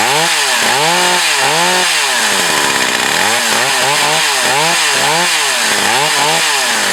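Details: Echo CS 4500 chainsaw, long stored, after carb rebuild and slight high-speed needle adjustment: a crisp two-stroke howl rises and falls cleanly with each throttle blip and holds steady pitch in the cut, with no bogging; it runs healthy.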